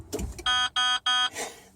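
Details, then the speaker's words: Key-on warning buzzer of a truck with ignition lock/switch problems: three loud, harsh high-pitched quarter-second buzzes with short gaps, the same sound as the windshield washer alarm, judged far too loud. "And I have to listen to this. And then, of course, that windshield washer alarm I mentioned before, it's the same sound."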